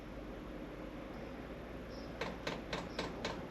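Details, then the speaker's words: HCALORY diesel heater at startup, already primed, not its first run: sharp even clicking about four a second over a steady fan hum; normal fuel pump metering. "I don't know if you can hear that clicking, but that's the fuel pump. So you will hear that the first time you fire it up."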